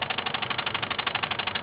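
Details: Mazda RX-7 FC3S in engine bay: with the CEL code jumper plugged in, a rapid even clicking, about twelve sharp ticks a second, comes from a device; it stops when the jumper is pulled out.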